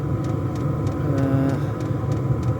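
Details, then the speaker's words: Diesel air heater, 12 V powered through a 240 V supply, burning kerosene on a -3°C morning, just after start-up: constant low hum with faint regular fuel-pump ticking, no rattle or surge; burning steadily. "And there's the heater running."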